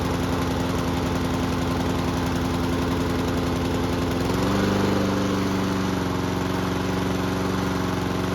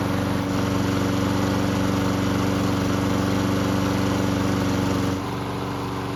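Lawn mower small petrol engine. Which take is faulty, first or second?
first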